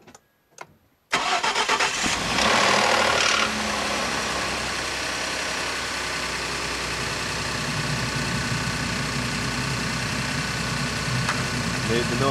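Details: 2011 Ford F-150 EcoBoost, cold start, after timing chain TSB 14-0194 was done: brief metallic rattle for the first seconds before a steady idle; owner suspects timing chain still not fixed.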